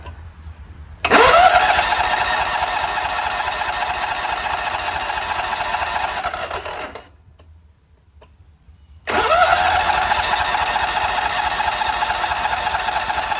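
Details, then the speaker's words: Scag Tiger Cub 48" zero-turn with a dirty carburetor, on a jump starter: cranks steadily at about 3.5 turns a second but never fires. Possibly because no one was on the seat switch; cause not confirmed. "not at all it's possible that it won't start because I wasn't sitting on it"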